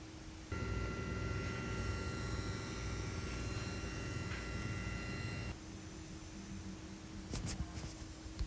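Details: Steady buzzing whine with thin high tones through speakers from USB-connected HX Stomp-type unit into mixer, volume cranked, mic near speaker, cutting out abruptly; USB ground loop noise, cured with hum eliminator box.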